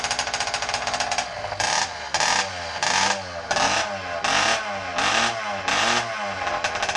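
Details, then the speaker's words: Motorized bicycle two-stroke engine warming up: rough crackle pulsing once or twice a second, idle slowly easing down as it warms; normal warm-up. "sounds like she's starting to idle down a little bit warming up"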